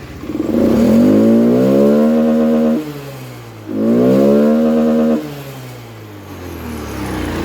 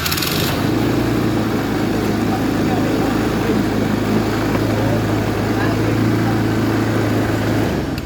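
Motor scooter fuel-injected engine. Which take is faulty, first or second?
second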